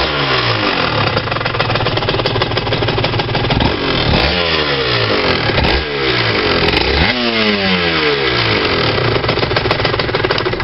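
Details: RS 125 revving up and down: metallic clatter over exhaust note as revs rise; no rattle at 30 km/h in 4th-5th gear, source not pinned down.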